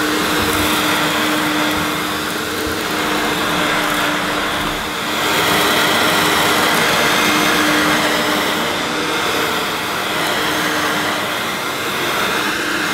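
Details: Hoover S2095 Quick Broom II mains-powered bagless stick vacuum, brand new, picking up rolled oats. Steady motor hum at constant pitch, airflow rush dipping slightly as it pulls. Picked all the oats up: normal running under load.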